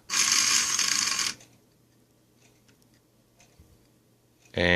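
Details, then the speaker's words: Driver-side throttle actuator from a 1995 Mercedes SL600, before repair, on bench power: loud harsh buzz in two bursts with near-silence between, motor won't turn; seized motor, plus degraded wiring insulation. "and now even with high voltage I cannot make this turn so I clearly see problem with the motor on the driver's side beside the wire situation"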